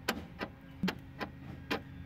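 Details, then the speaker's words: 2008 Saab 9-3 Aero, right rear door panel off, unlock button pressed. Short buzzing clicks about twice a second with nothing latching; the actuator is trying to move but something blocks it. Jammed door lock actuator, common on these, needs replacing. "you can probably hear it doing something or at least trying but it just sounds like it's trying to move but there's something blocking it so again very common issue on these"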